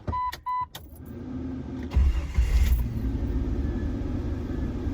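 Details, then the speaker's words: Jeep Wrangler, cold start with AC and fan on for full belt load after belt squeal repair: cranks, catches and runs rough with no squeal or rattle; no belt squeal on start-up. "also we're going to see if we fixed the belt squeal because I'm going to turn the air conditioner on and start it up with the fan on and uh we're just gonna give it the full load and see if it slips"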